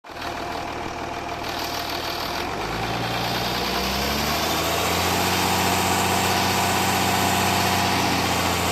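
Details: Jaguar S-Type 2.7 diesel idling with an even clatter and a regular knock of about four per second; owner suspects a bottom-end knock or spun bearings, unconfirmed.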